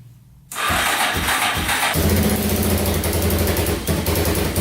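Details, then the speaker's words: Yamaha Wolverine 350 4x4 ATV (1999 registration), first start after top-end rebuild to cure heavy smoking: brief crank, catches at once, steady even idle with no misfire and no smoke yet; normal idle. "no smoke yet all right check it out all back together all complete looking pretty good"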